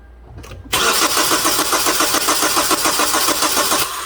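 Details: 2009 Hyundai Sonata towed in as a crank no-start; scan showed a crank signal and a long 23 ms injector pulse width, and spark is being checked: starter cranks steadily, about 3–4 compressions a second, never catches; cause was exhaust cam out of time.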